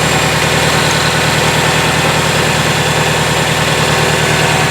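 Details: Circa-2000 Toyota Camry four-cylinder, 5-speed manual, demolition derby car: loud rough idle with an uneven, wavering pulse around two beats a second; coolant looks dirty but not low, owner suspects thermostat, possibly head.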